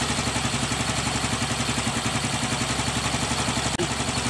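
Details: Yamaha Mio Gravis scooter after replacing faulty side stand switch that made it stall: steady single-cylinder idle keeps running while the switch is moved; idle healthy.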